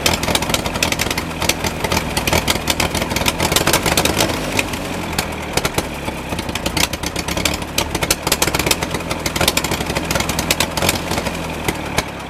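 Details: MF 135 tractor, Continental 2.4 L gasoline four-cylinder, which began sounding fuel-starved after haying in 30–35 °C heat; tank drained (no water) and carburetor refitted. It still runs uneven and stumbling, speed surging and sagging with the governor hunting; cause not yet found.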